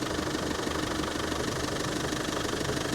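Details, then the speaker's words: 1995 Land Rover Defender 90 pickup, 300Tdi diesel, 153,000 miles, just started after the glow plug light cycles: an even diesel clatter at a steady idle, about three beats a second, with no misses or knocks; runs very smooth and healthy. "glow plug light comes on and off and it is running fantastic very smooth"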